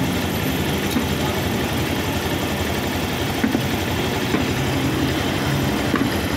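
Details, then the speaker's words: Vehicle that shook after a DIY clutch lining change, idling after repair: steady, soft uniform rumble with no shaking or rattle; vibration gone, smooth idle, though loose tensioner is advised replaced as it may get noisy later. "Wala na ang vibrate. Wala na yung vibrate."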